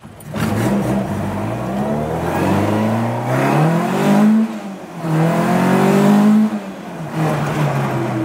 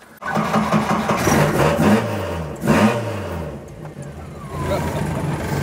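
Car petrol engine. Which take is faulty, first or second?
second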